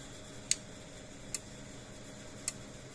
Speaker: There it goes. Hear it clicking. I said it is a lot quieter because we're using a different style of transformer in it. This one's a casing and an epoxy, so it muffles the sound.